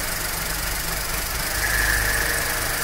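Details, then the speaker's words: Skoda Fabia that overheated because the radiator fan relay failed, after replacing only the relay (wiring OK), AC switched on; steady even idle with constant airy fan rush, no knocks or surging; cooling fan running properly. "ये देखिए replace करने के बाद हमारा problem solve हो चुका है देखते हैं एक चालू कीजिए"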